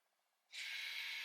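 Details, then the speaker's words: Toyota (2019 RAV4) rear electric parking brake after pad service: ignition on, brake pressed, switch pulled; steady high-pitched whir from the rear caliper motor moving the piston back to normal position, brake stays off, normal operation. "as you can hear it it's coming back as you can hear the Piston was coming back to a regular position but it stays off"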